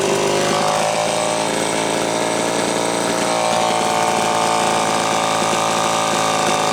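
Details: Homelite Super XL chainsaw after repair of a loose cylinder nut (cylinder gasket issue) and filed, gapped points. High, even two-stroke buzz holds steady and pulls cleanly through the cut, no bogging or surging; running healthy, retune in progress from slightly lean.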